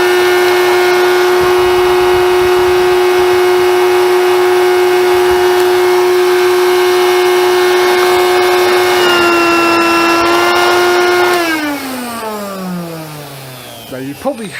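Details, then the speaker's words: Hoover Convertible/Dial-A-Matic U1124A upright vacuum, first run, old filter medium debris coming out; steady high whine dips and shifts pitch partway, then winds down; tone change traced to a blockage. Suction blockage. "the change in toad and I'd notice that as well and I do know why although that's moved actually it's his whites clocked"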